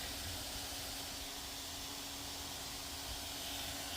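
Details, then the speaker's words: MSI Stealth 15M A11UEK-021US laptop CPU fan spinning fast: a steady airy hiss with an uneven low grumble, a rough-running fan. "this fan is very grumbly if I slow it down and stop it hear that"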